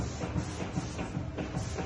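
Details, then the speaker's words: Porsche Cayenne 958 with air suspension, car rocked side to side at the wheel. Dull clunks about every 0.4 seconds: steering rack shaft with heavy play and missing anti-roll bar bushings, missed by five shops. "слышим вот такие звуки в подвеске вал рулевой рейки ходит просто ходуном по Вайфаю также нету втулок стабилизатора автомобиль качаем из стороны в сторону стабилизатор гуляет"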